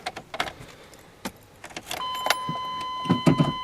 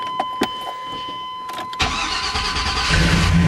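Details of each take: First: 1995 Chevy Tahoe 5.7 L with a no-start condition before starter motor replacement: chime, then the starter cranks about four beats a second for several seconds with hesitation before catching; sluggish crank from a failing starter motor. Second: 1995 Chevy Tahoe right after starter motor replacement: a few clicks, then a quick crank that catches immediately and settles into a steady idle; the new starter engages and turns the engine over properly.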